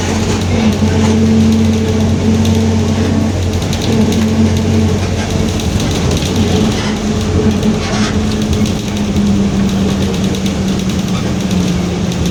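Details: 2021 Marcopolo Torino S bus on Mercedes-Benz OF-1721 BlueTec 5 chassis, urban service, while rolling: steady low hum under the engine roar drifting slowly down in pitch; differential whining.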